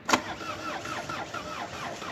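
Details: Renault R11 diesel: a sharp click, then steady rhythmic starter cranking at about three turns a second with no catch; prolonged cranking, no start.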